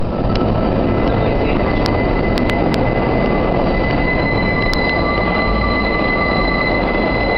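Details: 5 train passing through the South Ferry curve: piercing, steady wheel shrieks over heavy rail rumble, with sharp squeals flaring through the tight curve.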